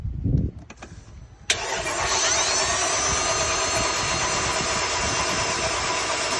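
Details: 2008 Mercedes-Benz GL450: quick starter bursts then steady even cranking whir with no engine catching or firing; cranks but no start, cause unknown.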